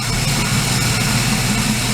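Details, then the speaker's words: VY Commodore with supercharged L67 V6, engine running, microphone held to a drive belt idler pulley bearing. Even, smooth whir with no grinding, clicking or rough spots: this bearing is good, unlike the dry-sounding first pulley being replaced. "so yeah that's that's a good one sometimes like there's a bit of noise like that's okay for there to be a little bit"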